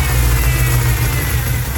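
Strong low engine note with revving and some unevenness; a big vacuum leak is suspected, though no hiss stands out.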